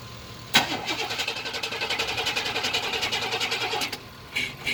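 Steady, even cranking at about seven beats a second for over three seconds that never catches or fires; cranks but won't start.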